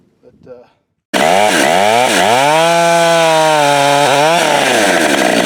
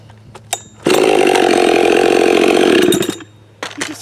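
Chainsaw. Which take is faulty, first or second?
first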